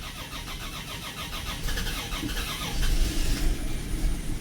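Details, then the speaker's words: 1984 Dodge Mini Ram van, 5-speed manual, parked 25 years; fast, even cranking about four turns a second on a strong battery but no firing; fuel system suspected to have lost prime, later started. "Oh, she's gonna go. Prime it. Fuel system must have lost prime. There she goes."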